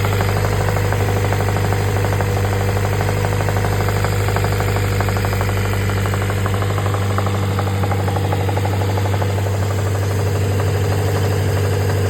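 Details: Honda B20B block with a B16 VTEC head idling steadily with a regular knock of about three beats a second over the engine hum; the cause of the noise is unknown.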